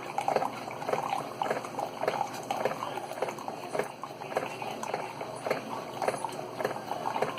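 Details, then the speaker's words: Keurig 2.0 K300 coffee brewer with a mechanical pump, after repair (had not been pumping; cleaned with vinegar, coffee grounds cleared from a tube): rhythmic gurgling, bubbling pulses about two per second brewing a ten-ounce cup; normal pumping and brewing. "She's pumping. We have coffee coming through. There it is. Ten-ounce cup."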